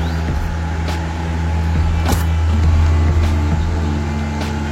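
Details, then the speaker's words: Sanex 18-inch stand fan with a replacement motor, running at speed 3 after repair: steady, even low motor hum, no rattle or grinding; fan spins smoothly and strongly. "Ya, lebih kenceng lagi. Speed 3. Waduh, lebih kencang lagi sobat suaranya tuh."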